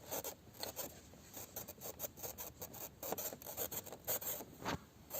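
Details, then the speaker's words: 2019 UAZ Patriot instrument cluster while driving: irregular dry rasping squeaks and rubbing creaks in uneven bursts over quiet cabin noise; the dash panel shakes constantly, held by screws and Velcro. "достал меня скрип приборной панели слушайте"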